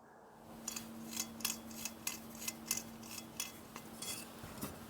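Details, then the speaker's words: Old non-working bench grinder motor, disassembled, bearing turned by hand: uneven sharp metallic clicks showing worn bearings; the other bearing sounds the same and the rotor shows shiny spots that may be rubbing the stator. "Esse ruído de clique é outro sinal de que esse rolamento está desgastado"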